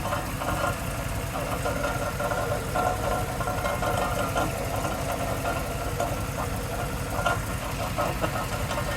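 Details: 2002 Cadillac Escalade EXT, drives fine: steady engine running with a faint irregular knocking ticking, much oil present nearby; source unknown, partner suspects transmission.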